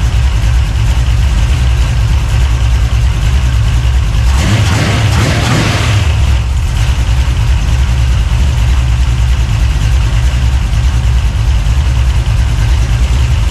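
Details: 383 stroker small-block V8, freshly built and swapped into a 1970 Monte Carlo, at first fire-up in the car: deep, choppy idle with a steady uneven lope and a short rev midway; normal big-cam idle.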